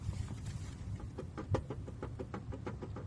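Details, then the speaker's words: A 2014 VW Passat 2.0 TDI diesel (CKRA) idles with a light, regular ticking whir over the rumble. The alternator still charges but is noisy and annoying, so it is being replaced. "yeah so that noise is not pleasant it's actually pretty annoying that's why we're changing it"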